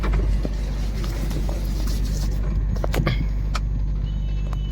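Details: Maruti Suzuki WagonR with AC on after rewiring the radiator fan to spin the correct direction: steady low engine-bay hum, fan spinning evenly without shudder or rattle; noise gone and vibration much reduced.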